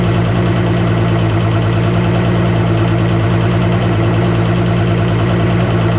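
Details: 2013 Mercury 250 Pro XS Optimax outboard running after replacing the steel reed valves with Chris Carson carbon fiber reeds: steady, even low drone with no missing or popping; the earlier slight noise seems fixed, running normally.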